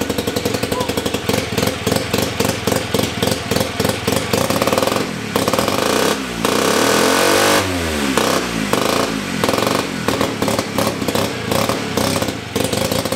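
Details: 1975 KC27 294cc rotary from a Hercules W2000, rebuilt, kick-started with transmission fitted: fires up with a fast even buzzy beat and revs cleanly up and back down; runs good.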